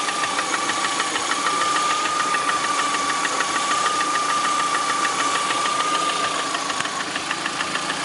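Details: 2009 Lada Priora, 37,000 km, engine began knocking 500 km after adding Suprotec additive: at idle, rapid knock of roughly three beats a second over the engine hum; source uncertain, cause suspected not confirmed.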